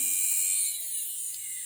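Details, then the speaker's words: Audi electric fuel pump run on the bench on 12 V after two tanks of E85: thin high-pitched whine over faint low hum as the pump labours; failing pump lost pressure, rail purge only dripping, replaced after E85 conversion. "là ça peine de ouf et il se passe un truc mal sain tu vois le bruit que ça"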